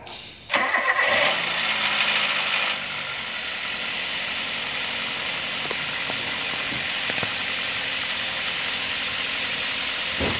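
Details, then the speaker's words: Toyota Avanza/Daihatsu Xenia just after an oil change with Top 1 5W-30: quick crank and catch, brief higher fast idle, then quiet even idle with no ticking; runs fine. "Kita sudah memulainya, Bro. Dan inilah hasil suaranya setelah penggantian oli menggunakan oli Topan Ration."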